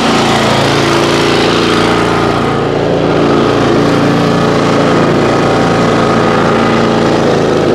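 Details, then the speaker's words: Kawasaki-powered mower, stored 5 months on ethanol-free fuel without stabilizer, about 30°F, after choke warm-up: loud, even low idle with no surging, no sputter once past a brief stumble at start, slight smoke; normal idle. "so there's low idle sounds like it's running good not spluttering or anything"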